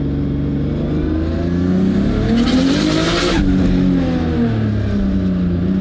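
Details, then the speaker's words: RB20-swapped AU Falcon on E85 with an unfinished tune and a questioned manifold and turbo setup: revs rise and fall with a short rushing flutter as boost peaks; compressor surge, the turbo making more boost than the motor can take in. "the compressor surgery is the turbo is making too much boost for the motor to take in you too much response so the motor's not eating the air feels like it's restricting the motor as well"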